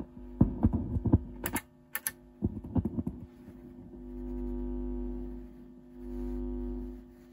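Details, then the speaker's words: Torque Acoustics T100L guitar amp (~1989/early 90s, TL072 opamps, spring reverb, LM386) during repair, with no circuit diagram: after clicks and handling, a steady low residual mains hum swells and fades from the output; source not pinned down. "You can definitely hear the hum kicking around. So I'm I think it's gonna work."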